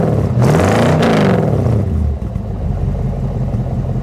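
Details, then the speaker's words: Replacement V8 for square-body Chevy Suburban, with homemade exhaust: deep smooth rev rising and falling, then steady even idle with no knocks or misses; sounds good. "Oh yeah. Listen to that. I have to say, it does sound pretty good. I'm proud of myself for the exhaust that I made on this thing."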